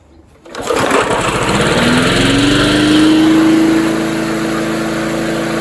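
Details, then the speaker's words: Discarded older Rally mower (probably AYP) started after repair; small single-cylinder climbs smoothly to a steady high drone with no misses, vibrating heavily; owner thinks the engine brake cable was the problem; runs fine. "Um, so yeah, I I guess she works. I guess it works just fine."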